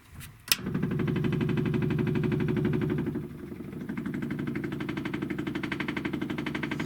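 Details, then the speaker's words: Corvair after fuel pump and tank replacement, key on, pump primed through a toggle switch: steady quick ticking about four beats a second over a light buzz; electric fuel pump working normally. "like it's doing what it's supposed to do"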